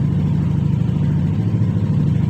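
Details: 2021 Yamaha NMAX 155 scooter running after a blown 7.5 A signal fuse was replaced; it had suddenly refused to start. Smooth, even low putter with no knocks or rattles, normal idle.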